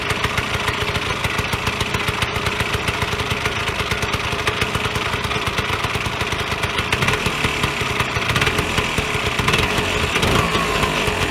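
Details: Vyatka Elektron two-stroke scooter revived after long garage storage: busy, even burble with a crisp rattly top end holding steady throughout; idles normally.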